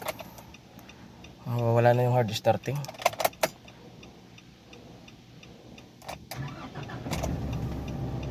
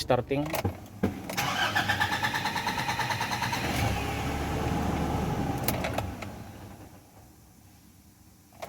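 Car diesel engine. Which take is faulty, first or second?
second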